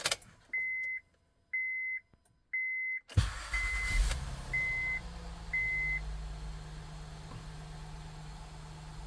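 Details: Honda Pilot after fixing P3400 code and replacing sensor, previously sluggish and chugging under 30 mph with check emission message: three chimes, starter catches, engine settles into smooth steady low idle, sounds better; normal idle.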